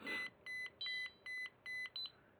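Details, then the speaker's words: Bluefly Vario paired with XCTrack on an Android phone for a DIY paraglider cockpit: moved up and down, six short high beeps about a third of a second apart, pitch rising; vario working normally. "if you move it up and down, you can hear it beeping, which is an audio aid to be able to hear the movement of the glider."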